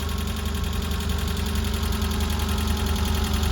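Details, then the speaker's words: Citroen AX 1.0 petrol engine idling after valve clearance adjustment (intake 0.2mm, exhaust 0.4mm): steady, low, even rumble, way quieter, no loud knocking or valve tapping. "it's way quieter there's no loud knocking this time or anything"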